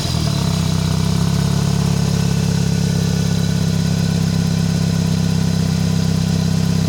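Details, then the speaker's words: Toyota 4A-FE petrol engine: no knock at idle or when revs drop, but knocking at startup and as revs are raised; faint rhythmic tapping as revs build, source not yet identified. "Нету стук. Обороты добавляешь, есть стук."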